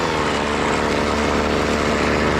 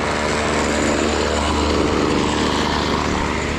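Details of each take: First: BC 2500 LE two-stroke trimmer, long unused, running after its loose cylinder head (lost compression) was fixed: a fast, steady buzzing idle that keeps the head spinning. Idle speed is probably set too high. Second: BC 2500 LE two-stroke trimmer, after the fix and with the idle turned down: a steady, even idle with no surging, and the head no longer spins. Idle is now correct.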